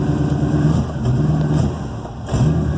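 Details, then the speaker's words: 1963 Oldsmobile Cutlass F85 after the exhaust shop fixed the cracked Y-pipe leak: deep, even rumble rising and falling with revs, no ticking or puffing; the exhaust is sealed and healthy. "as you can see, if I go further, boy, it sounds really good."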